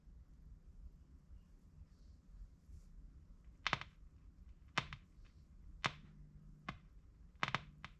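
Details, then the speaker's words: 1958 Kriesler 11-81 valve (tube) radio on the bench: sharp, irregular snapping cracks every second or so over a quiet hum; a stray wire across a rectifier valve terminal is shorting and sparking. "hmm that is actually the rectify valve making that noise so i can't actually see like shorting out ah i can see a little um bit of wire that's going across one of the terminals there and it's sparking a little bit"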